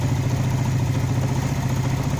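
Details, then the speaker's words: Motorcycle carburetor with a sputtering problem, idle air screw being adjusted. Opening it half a turn raises the low single-cylinder idle rpm slightly; opening further lowers rpm, so the screw is turned back to the ideal setting. "RPM naik ya sedikit naik Coba kita buka lagi setengah ada perubahan enggak kita ulang Oh enggak ada perubahan dia malah semakin turun Rp nya berarti kita balikan lagi"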